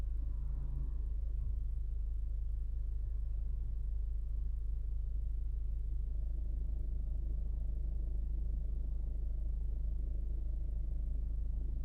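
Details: 2016 Ford Focus petrol engine at idle knocking steadily about four beats a second; revving slightly stops the noise for some seconds before it returns; cause unknown.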